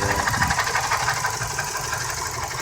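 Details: 2002 Subaru WRX 5-speed, about 141k miles, at idle: rapid, raspy chatter and ticking from the timing belt area as the tensioner bearing fails catastrophically; the belt did not skip teeth and the valves survived.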